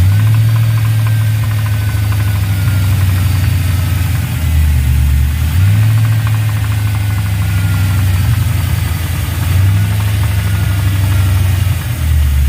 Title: Ls Knocking noise